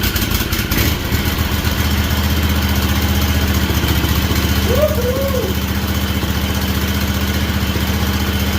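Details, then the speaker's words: Freshly rebuilt Kawasaki FR730V V-twin in a Cub Cadet SX60, just started, choke shut off early, before break-in; even, steady low putter, no misses, knocks or rattles, quiet with no smoke. Normal idle. "All right, I shut the choke off too quick. Pretty quiet. I don't see any smoke, guys."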